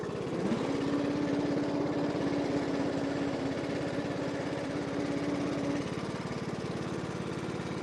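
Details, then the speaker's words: 20 hp single-overhead-cam MTD mower in low gear and reverse: a steady mid-pitched whine rides over the engine chug for about five seconds when the transmission is engaged. The underside pulleys spun fine with the belt off, so the cause is unknown. "Yeah, I don't know why the transmission makes that noise. I can't find anything. I don't know if you guys heard that this, but this thing makes a noise when the transmission is engaged."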